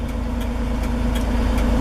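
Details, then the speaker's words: 1973 Toyota Land Cruiser FJ40: even, steady low idle with no misses or knocks, set just where the revs begin to dip, which is a healthy, correct idle setting. "once you get it all fired up get it to where it Smooths out and then push it to where you hear the idle just start to drop a little bit and it'll run excellent for you"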